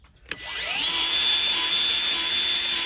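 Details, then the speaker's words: New Milwaukee M12 cordless grease gun priming its first grease tube with an empty hose: click at start, then steady high motor whir at even pitch, pumping; normal grease gun pumping while priming. "hear it pumping. So it's starting to prime itself now."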